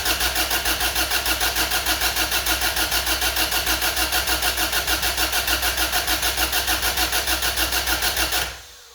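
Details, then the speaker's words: Honda Civic/CRX with a swapped B18B1 engine (replacing a D16Y8), first start attempt: steady cranking at about three turns a second for eight seconds, never firing; no spark at cylinder one, blamed on a mis-pinned homemade jumper harness. "all right guys so I did check to see if there was spark on the number one cylinder and there was no spark so I think it was the uh jumper harness that I made that might have been wrong"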